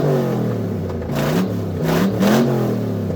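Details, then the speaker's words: 1975 Chevy Suburban LS-swapped with a 6.0 LQ9 from a 2004 Escalade, first fire, no cooling system and no exhaust fitted: loud, raw V8 blipping and settling with an even pulse. Fires and runs cleanly. "Want to see if it's going to fire. Has no cooling system or anything right now. So, we're not going to run long. No exhaust. There it is."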